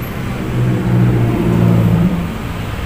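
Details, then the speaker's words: Honda Grand motorcycle with a weak battery, during charging-coil wiring work. The starter gives a slow, labouring churn, under four turns a second, that never catches; the starter motor is suspected, not confirmed. "mau menyala tapi kurang besar kita kan coba sambung sunya ya Oh iya Ini kemungkinan masalahnya ada dinamo teman-teman"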